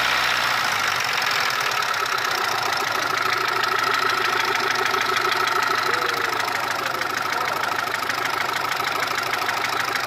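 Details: Mitsubishi 1.3 engine after engine overhaul: light quick metallic ticking about three per second over steady idle, between cylinder head and block; cause not pinned down.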